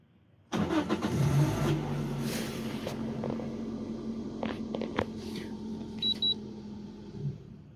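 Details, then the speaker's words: Car with Prins VSI LPG system switching to gas when cold: starter whirs, engine catches, idles unevenly a few seconds then dies; owner suspects the reducer cannot hold pressure, injectors also questioned, not confirmed. "we turn it on, it started and immediately it died, so I suspect that's why"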